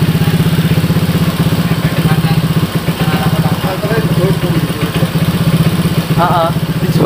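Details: Honda Vario 150 keyless scooter that suddenly died and would not start (fuel pump pressure normal, about 40), after repair with radiator coolant refilled: settles into an even, steady idle, regular firing, no knocks or misses; healthy.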